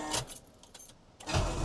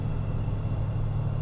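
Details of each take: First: 1971 Buick LeSabre Custom 455 big-block V8, 41,000 miles, cold start: starter whirs, then a fast cold idle with a rough, chuffing, uneven exhaust note; exhaust leak. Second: 1971 Buick LeSabre Custom 455 V8 warming up: smooth, even low rumble with no valvetrain ticking; normal idle.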